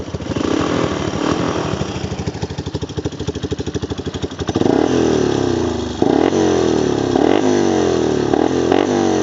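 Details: 1995 Wolverine quad after replacing the rear axle, hubs, gears and bearings and refilling about 320 ml of gear oil: starts, settles into a steady thumping idle of about three beats a second, then revs cleanly. Running normally.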